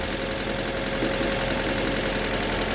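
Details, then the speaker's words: Engine that locked up after running with no oil, first start after replacing rod bearings: idling with a faint, uneven tapping about three or four a second under the running noise, a light rod knock that was expected. "Oh shit, it's running. Oh shit. Oh shit. Oh gosh. Oh my god. It's got a little knot to it though. And I kind of expected that. But it's running."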